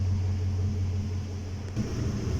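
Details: 2018 GMC Sierra after a fuel pump replacement for misfire: steady, deep, even hum with a slight shift midway and no stumbles or knocks; running smoothly and healthy.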